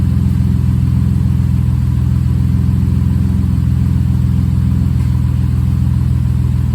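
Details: Rebuilt, bored-over 3.9L V6 swapped into a Jeep JK, coolant being bled and warming to operating temperature: steady, even low rumble at fast idle, no knocking or ticking; owner suspects oil pressure relief valve caused earlier problem.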